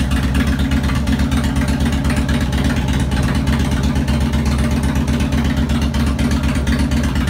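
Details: 2002 Harley Road King Classic on a bike table, second start after replacing cam chain tensioners, lifters, O-rings, gaskets, checking leaks: even loping V-twin idle with steady deep beat, no ticking or top-end rattle; healthy.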